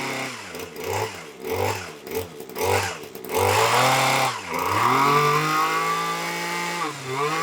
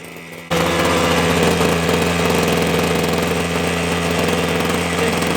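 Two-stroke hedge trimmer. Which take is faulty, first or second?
first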